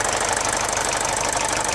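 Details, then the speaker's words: Mercedes OM601 diesel idling after the head gasket was replaced, which restored oil feed to the timing chain tensioner: an even, rapid diesel clatter with no rattle or knock on top, so the earlier warm-idle chain rattle is gone. Normal. "Здесь он работает на холостом ходу."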